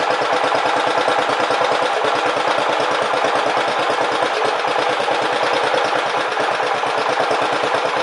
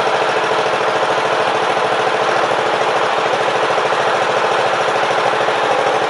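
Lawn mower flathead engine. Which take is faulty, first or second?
second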